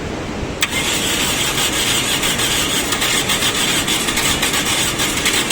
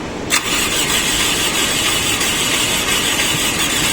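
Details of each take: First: Toyota car that wouldn't start, now running: engine catches straight away, settles into steady even idle with no misfires or stumbling; starts and runs fine. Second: Toyota car stranded roadside, no start: starter cranks with steady harsh whirr, engine never catches; tight valve tappets blamed for the no-start.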